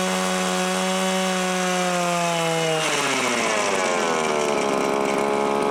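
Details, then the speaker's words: Viper two-stroke ice auger, choke on, one pull: steady high buzz, then bogs and sags unevenly without recovering cleanly; it won't draw fuel well from the tank, needs a carburetor kit (gasket flaps suspected). "So what am I going to say? Needs a carb kit. Definitely needs a carb kit."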